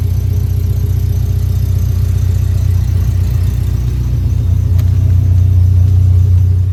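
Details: K24-swapped first-gen Honda CRX, first start after the swap: a deep, even idle with a steady low rumble and no misses or knocks. The engine runs cleanly.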